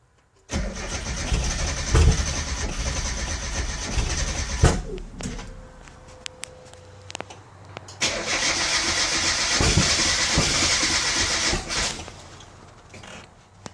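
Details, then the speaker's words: Car with 1.6 harness/ECU (diypnp2), 2002 VVT head and FAB9 coil-on-plug, previously run on Megasquirt and now fitted with VVTuner (trigger NB inverted): long starter-grinding bursts with sharp backfire pops. It never catches, a crank no-start; cause unconfirmed. "try to crank the car and i get this backfire"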